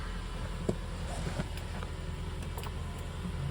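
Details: 2010 Subaru Forester: light metallic grinding/rattling comes and goes, consistently at about 2700 rpm, also during acceleration and sometimes at idle; solved: loose exhaust heat shield.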